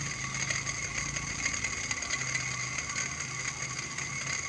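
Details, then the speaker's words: Indoor split AC unit, fan motor removed and its shaft turned by hand: a dry, gritty rasping whirr with fine ticking from a worn, loose motor bearing. The motor was replaced with a used one in about 80% condition. "ini memang dari motor fannya banget yang bermasalah nih Mi udah agak oblak nih untuk pacarnya nih ini di kita putar seperti ini saja sudah berbunyi ya"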